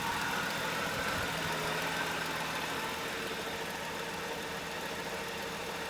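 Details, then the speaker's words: 1968 Pontiac Firebird convertible, number-matching overhead cam six-cylinder, factory automatic, power steering: even, steady idle with no knocks, misses or hunting; super smooth, normal running. "Here's the 6-cylinder overhead cam. Power steering. Fire it up now. Super smooth running."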